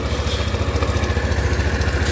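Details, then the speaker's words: Yamaha Fino 125 scooter at start-up, owner complains of rough sound at all rpm: engine throbs unevenly, about a dozen coarse pulses a second with a harsh rattle on top; rough engine noise, cause not yet diagnosed. "ini dikeluhkan oleh pemilik kendaraan suaranya kasar nah suara mesinnya kasar sekali"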